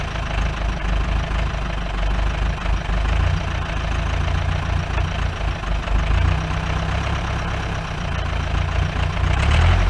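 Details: 1953 Mercedes 170D (W136) four-cylinder diesel, once-seized restoration project, idling with the microphone at the rear "business end": low, rough idle with a steady rapid knock about four per second over clatter, smoke; owner suspects worn injector nozzles and holders.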